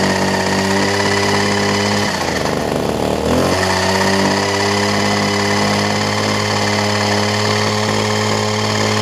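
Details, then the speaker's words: Older Homelite two-stroke hedge trimmer, new fuel lines and primer bulb, during carburetor low/high speed adjustment: steady buzz drops sharply for a second then recovers; mixture not yet settled. "open it up just a smidge yeah I am no professional on tuning to cycle carburetors I'm just seeing what works"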